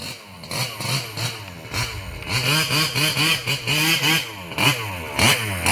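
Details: Losi 5B with OBR 34 two-stroke motor, first fire-up after rebuilding the bottom end following a failed crank bearing: crisp throttle blips rising and falling cleanly, no rattle or scraping; the earlier terrible noise seems gone.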